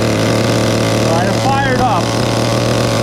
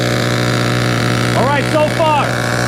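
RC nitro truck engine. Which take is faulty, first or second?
first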